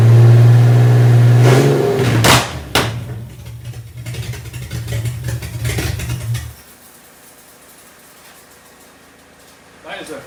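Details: Fake 1980s Aston Martin replica ("Bullet") kit car engine briefly run after cleaning gummed carb linkages, no cooling set up; loud deep roar rising on a couple of revs then shut off, strong and even, sounded all right after all the messing around.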